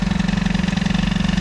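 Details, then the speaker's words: Peugeot 103 T6 65 two-stroke moped: fast, even buzz with rapid steady pulses, about 25 a second, no dip; carburettor idle speed set too high, about to be adjusted. "ah par contre le ralenti il est pas réglé bon on va le régler parce que"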